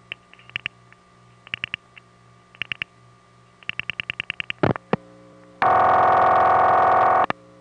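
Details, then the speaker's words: Normal crossbar tandem dial pulsing to a step PBX with DID, heard from NEptune 4 No. 1 crossbar line, Belle Harbor, Queens, taped 1974 from a home phone: crisp click trains over faint hum, then steady tone. "most of the sender X is in New York City at this time our step PBX is with D ID and are in special prefixes that go to crossbar tandems not regular end offices often you can hear the crossbar tandem dial pulsing to the vbx"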